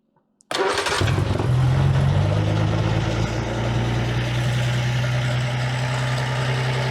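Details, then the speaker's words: Armstrong Siddeley Special on temporary fuel pump and tank after new plugs and condenser: catches after brief crank, settles into steady, noticeably fast idle; throttle linkage suspected needing length adjustment; no oil pressure shown. "Well, that runs. A bit quick, but I think my linkage needs to be made a bit shorter or longer."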